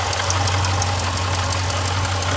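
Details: Jeep Grand Cherokee SRT (WK2), failed water pump at the front accessory drive: a loose, marble-like rattle ticks quickly over a steady idle, the pulley shaking back and forth and misting coolant.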